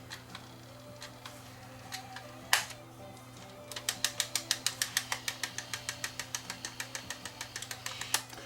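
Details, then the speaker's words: Sony WM-D3 professional recording Walkman that runs fast, on fast forward: sharp, regular ticks about three a second over a faint motor hum, from a chipped tooth on the drive gear. Ticking from a broken gear. "What's that ticking sound I hear? You hear that ticking sound in the background? Oh, I think this thing's got more problems than just that."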